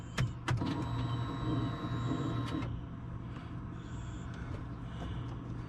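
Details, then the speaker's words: 2020 Polaris RZR 1000 XP Highlifter after All Balls fuel pump replacement: key on, a few clicks then a faint steady hum for about two and a half seconds before stopping, normal fuel pump priming with no leaks. "I turn the key on for me Pam I'm sure we got no leaks turn it off turn it back on"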